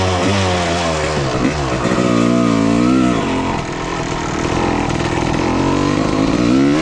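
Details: 1995 Honda CR250 two-stroke dirt bike, previously bogging, run with the original CDI and stator swapped back in: revs climb and drop cleanly with crisp pickup and no hesitation. Normal running, so the CDI and stator are ruled out; the replaced gas line or flywheel is still suspected.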